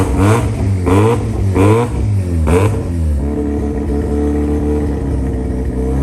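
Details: JDM Haruguchi FC Mazda RX-7 rotary, first start after sitting, with new battery, 98 petrol and fresh fluids: catches, four quick clean blips, then steady idle; running fine.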